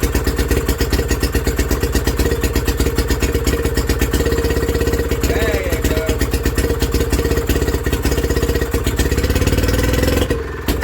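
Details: Villiers WX11 single-cylinder restarting after repeated cranking flooded the crankcase with raw fuel, rich mixture from exhaust: chuffs along but speed surges and sags, hunting at idle; carburettor adjustment on top needed.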